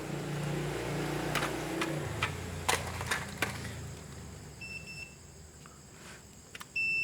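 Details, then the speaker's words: Daikin R32 inverter power board with error L5, compressor not running: multimeter continuity test gives a clean steady beep between the 15 V supply pin and ground, which read about 7 ohms both ways, so the 15 V feed to the power IC is shorted. "chúng ta đo với chân mát là thấy thấy nó kêu như vậy như vậy là chắc chắn chạm chập Đường 15 V cấp xc công suất rồi"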